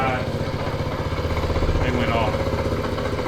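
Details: 1979 Honda Trail 90 (CT90, 90cc four-speed), first start in 26 years: small single thumping at fast idle with an uneven, lumpy pulse and no steady rhythm; rough running, exhaust smelling bad.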